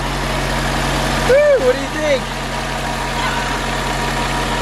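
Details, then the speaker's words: Mitsubishi Lancer Evo 8 idling just after its first start in 8 years, the fuel pump having been the issue: steady, even low hum with no misses, knocks or ticks. A little quiet but healthy. "i'm freaking excited it smells like it hasn't been running oh man this is great this is freaking great a little quiet though but she sounds very very healthy"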